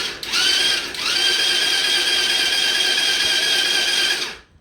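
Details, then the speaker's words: Coolster 125cc ATV, under 50 hours, previously sunk and abandoned, in neutral with brake held, after a faulty power or starter switch was sorted: high, steady starter whir for about four seconds. Electric starter now cranks normally. "oh I hear it click oh my goodness it's actually working"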